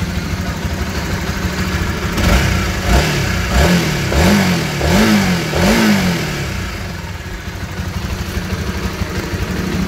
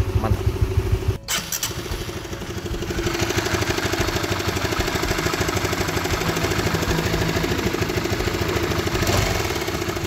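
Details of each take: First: Honda CB150R single-cylinder after readjusting the cam chain tensioner (lifter assy tensioner). Revs up and settles smoothly with an even exhaust beat and no top-end ticking; the earlier clattering is gone, normal idle. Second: Honda CB150R engine idling with a light, uneven clattering knock from the top end, a worn cam chain tensioner (LAT) that sounds only intermittently; to be fixed by adjusting the tensioner.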